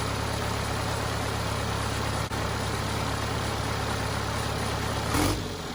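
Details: Cummins 4BT diesel in a Power Wagon on 37s, first start since 2015 (April 2022), temporary battery, 8 psi fuel pressure: steady, even four-cylinder clatter at idle, no misses or knocks; normal idle, runs perfectly.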